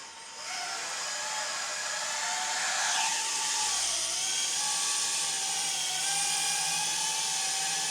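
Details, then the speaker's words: 4-inch FPV drone taking off: high steady motor whine with a ringing note bending with throttle; prop guards and frame resonating with heavy vibration; one motor had earlier run very hot. "because previously what was happening was I was hearing more of almost a ringing, almost a kind of a sound where like you can hear kind of the resonance of the frame"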